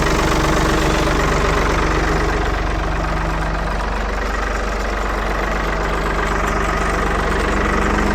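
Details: 1975 Ford 550 backhoe "Big Mo" back running after repair, cold-started in neutral before operating the hydraulic lever; steady, even diesel idle with a regular low beat of about four per second, no knocks or hydraulic whine; normal idle.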